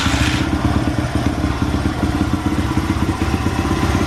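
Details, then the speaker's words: Honda XR100 after hours of carburetor cleaning and tuning, warm engine: single cylinder thumps along at an even idle with steady firing, no stumbles or misses; starts readily warm but still reluctant when cold. "it starts right up when it's warm but as you guys saw earlier it just does not want to start when it's cold"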